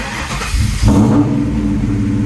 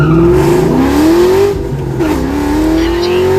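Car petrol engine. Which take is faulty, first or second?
second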